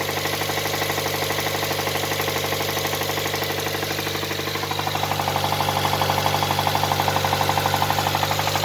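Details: Nissan R'nessa engine with a spun rod bearing, heard at idle: sharp, evenly spaced deep knocks, about 2.5 per second, growing louder as revs rise. Smoke seems to come from under a hose. The engine is considered scrap.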